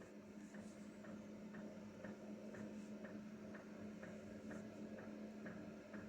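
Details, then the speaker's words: Diesel heater coming up to maximum setting, mic about four feet away by the feet: quiet steady fan hum with soft fuel-pump ticks about twice a second; normal running. "it right it's just coming up to maximum now right that's as noisy as it's going to be and it's about as I say 4T from here it's just by my feet"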